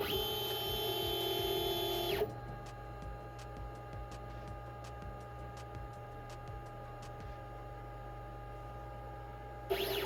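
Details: Glowforge Pro laser cutter, power button on back: high whine for two seconds, then a quick run of regular clicks over a steady fan hum; normal power-on sequence.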